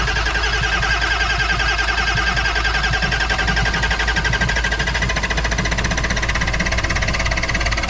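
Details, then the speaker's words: Ford F-550 diesel cold start in a snowstorm, fired on starting fluid without glow plugs or grid heater: fast-running engine with rapid sharp steady knocking over the roar; has oil pressure, cause not identified. "Cosby sauce engaged. Oh yeah, there's some knocking going on in there. Come on. Come on."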